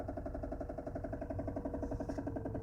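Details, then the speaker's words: Mazda Xedos 9 at idle, heard inside the cabin: steady idle with a regular knocking pulse in the engine; revs are even and climb without trouble when throttled, cause not yet found. "Боремся со стуком в моторе. Очень хорошо слышно его и в салоне."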